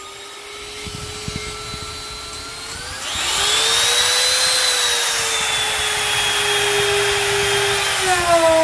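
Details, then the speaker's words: Grizzly T27139 quarter-inch trim router, about 4 months old and previously cutting out, with a brand new bit at full speed in scrap hardwood: whine climbs on spin-up, then holds steady and even through the cut; normal operation. "okay so this is this little piece of hardwood piece of scrap i had um you heard it as long as i turned it up on uh full speed uh cut through it no problem so as far as routing it's going to do fine"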